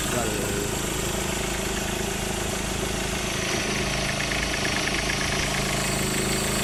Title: Ford ranger need replace tensioner belt and alternator bearing...